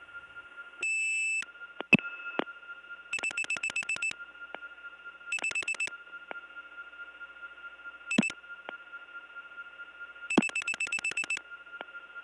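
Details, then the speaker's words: 1979 telephone ringback from Cleveland, reached through the Gainesville GA step tandem. St. Thomas-type ringing machine: steady high tones broken by clattering pulsed bursts, and the low tone has been replaced with one from another machine. "as you've heard cleveland also has st. Thomas type ring and as is the case with so many st. Thomas type ringing machines the low tone has been replaced with something from another machine"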